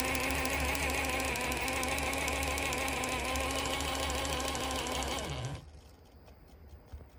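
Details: Axial SCX10 III RC crawler drivetrain whirring with a loud, regular click about three times a second until spin-down; clicking was absent when first assembled and has grown fairly loud.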